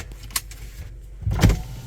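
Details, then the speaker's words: Orange Element on a test drive after many replaced parts: short power-window motor whir rising and fading under low road rumble. The windows work normally. "Oh, the windows work."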